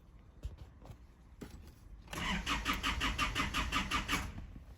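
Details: 2011 Isuzu D-Max non-runner: a few clicks, then starter churns steadily near three beats per second without catching; fuel pressure and airflow rise but no engine speed signal, crank sensor suspected, no in-tank pump heard.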